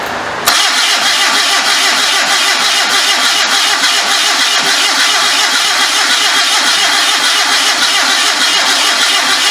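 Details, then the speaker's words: Homemade trike with 1974 Datsun engine, first start attempt: steady fast cranking with scattered pops through the exhaust, never catching; suspected vacuum leak, compression issue, stuck carburetor floats or transmission fluid in cylinders, float bowl empty. Cranks but won't start. "I can hear it popping through the pipe but it just started getting kind of hot I hear it popping through the pipe but it's just not hitting"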